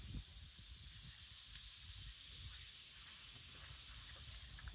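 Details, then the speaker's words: Truck parked: steady thin hiss running without a break, air felt escaping from a small puncture in the tire; tire needs repair. "I feel the air too, so it looks like we got a tire fixer-upper, babe."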